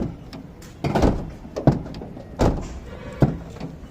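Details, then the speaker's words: Renault Kwid 1.0 door, before door damping work: four dull hollow thunks about a second apart as the door is shut or struck, with a loose buzzy after-rattle; door panel rattle, front door noisier than rear. "दरवाजा कैसा है? एक आवाज आ रही है। इसका ध्वनि से आ रहा।"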